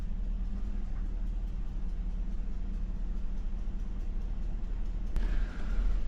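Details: 2007 Cadillac Escalade idling: low, uneven, lopey idle with a dropped beat in the exhaust; dead miss across bank 2 (cylinders 2, 4, 6, 8) from ignition coils losing their ground circuit.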